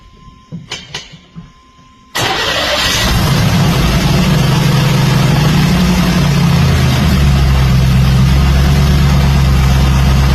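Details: Camaro with FAST EFI 2.0 standalone, fuel pump jumpered to hold 40 psi rail pressure after a no-start (pump not running past prime): a few clicks, quick crank, fires and holds a steady rumbling idle that smooths after first rev; normal start.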